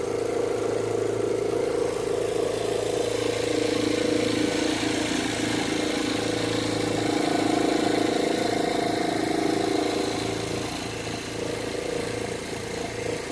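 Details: Chevrolet Zafira idling with AC on: steady mid-pitched whir over the engine with a slight swell in level, suspected alternator belt noise under AC load; cause not confirmed.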